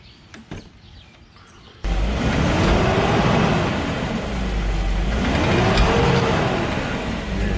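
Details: BMW E39 540i put in drive: loud rumbling drone with a slow wavering whirr, from a worn, leaking driveshaft bearing; whole driveshaft to be replaced; driveshaft noise.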